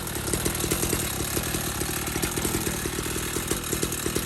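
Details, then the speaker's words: 49cc dirt bike with new engine, restarted after a repair, cranked with the choke off: revs up fast and holds a crisp, even buzz of rapid firing pulses with no misses; running like it's supposed to. "Running like it's supposed to."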